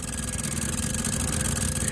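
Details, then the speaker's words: 1961 Morris Minor pickup, engine off: electric fuel pump priming with a harsh, rapid buzzing chatter, visibly shaking and sounding terrible. Noisy electric fuel pump. "okay the fuel pump does run so let's let the fuel pump run and see if we get any fuel up to the carburetor there that fuel pump sounds terrible you can see it shaking there"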